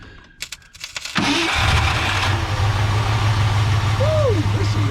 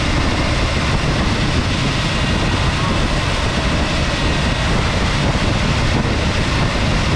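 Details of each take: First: 1967/68 Ford F100 V8, sitting about 10 years; starter spins the engine over at a steady churning pace with no firing because the ignition switch was off; cranking no-start. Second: 1967 or 1968 Ford F100 at its first start in about 10 years, just after carburetor adjustment; the timing had seemed off earlier and it puts out a little smoke. Steady, even V8 idle with a full, low rumble and no misses; it runs well.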